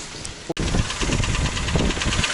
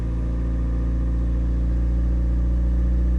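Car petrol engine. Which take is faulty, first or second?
first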